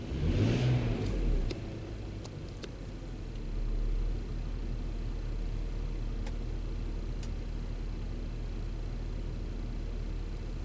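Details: BMW X5 in cold weather (about 20°F), warming up, fuel trims around 10 during misfire diagnosis: short blip of revs, then a steady even idle with no stumbles or skips; engine now running smoothly.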